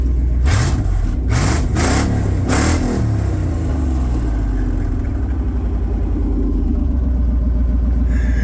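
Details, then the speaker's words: Truck with both catalytic converters cut off, before new cats and X-pipe go in: deep, very loud rumble with sharp revs settling into a lumpy idle; open exhaust. "That thing sounds crazy. It's so loud though. It sounds like my old truck. That's what it reminds me of, is my old Ford."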